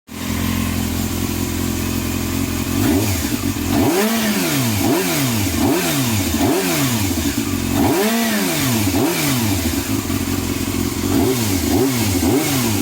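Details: Yamaha Thundercat, first start after a carb overhaul renewing float needles and seats for leaking float valves: it catches and idles, then clean repeated blips rise and fall smoothly with no misfire or clatter; it runs healthily.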